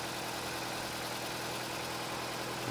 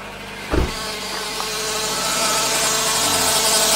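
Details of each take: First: 2009 Nissan Cube CVT, 195,000 km, that whined before fluid change and filter cleaning, after servicing at idle: steady even hum with no pump whine; transmission sounds healthy at rest. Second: 2009 Nissan Cube CVT, 195,000 km, after draining about half a litre of overfilled dirty fluid, before fluid change: steady high-pitched pump whine building after startup and holding over idle.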